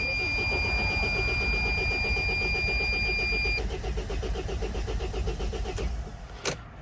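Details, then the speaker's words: 2003 Dodge Sprinter diesel that only starts on ether, mass air flow sensor unplugged as a test: starter spins steadily about four beats a second for five seconds but never fires. Owner suspects leaky injectors starving the high-pressure pump. "well that did not help starting it up this time will be just as easy as last time by just simply squirting a little bit of starting"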